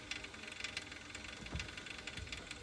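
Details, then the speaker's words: Boiler with the hot water tap open and the boiler switched off: fast uneven clicking rattle as water flows through. Traced to the flow cartridge (flow turbine), which does not affect boiler use. "what we'll do just turn the boiler off obious the flow of water is still going through the boiler you can hear it rattling"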